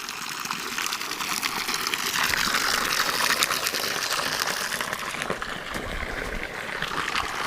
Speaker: You can probably hear the water running over and see it. I think when I checked this yesterday, we estimated it took about 15 seconds to fill a gallon of water. Sure you got a good flow.